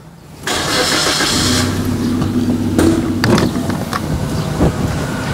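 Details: 2013 Suzuki Splash AT, 1200 cc DOHC VVT petrol, 85 PS, 4-speed automatic: brief crank, catches at once, settles into an even steady idle with no knocking or roughness; healthy engine.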